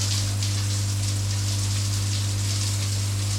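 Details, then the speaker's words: Loud, steady low electrical buzz over rushing water from the loft control unit pump of an Aqualisa Digital Shower with poor flow; pump cuts out after about two minutes, overheats; motor windings tested as failed. "and you can hear the buzzing coming from the control unit so today's job is to try and find out what is going wrong with this thing and can we fix it"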